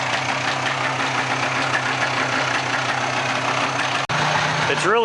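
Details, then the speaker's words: 1995 Polaris 400 two-stroke ATV revived from parts, freshly started and warming up: steady even buzz at constant speed with no misses or knocks; normal running, smoky from oil in crankcase. "It sounds good. So, let it sit here and warm up for a minute."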